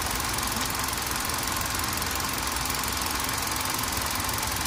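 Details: Running engine with a loose rattling clatter like marbles tumbling, about three a second over a hissy idle; engine clunking/knocking, source not pinned down.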